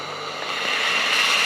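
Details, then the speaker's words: Tefal Access Steam Force DT8270G0 handheld garment steamer, 2000 W, new unit, turbo button held about two seconds for boost blast; single rising loud hissing rush that builds and holds steady, working normally. "and there we go one huge dash of steam blast right there"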